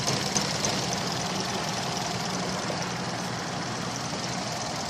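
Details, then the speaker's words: 2000 Toyota Avalon, weeks of sputtering, power loss, stalling; new mass airflow sensor didn't help: uneven, lumpy idle with loose irregular knock over hiss, unburnt fuel smell; rough idle, owner suspects fuel or timing, unconfirmed. "but uh yeah staying running but it's running as if the timing or something's wrong I just don't know"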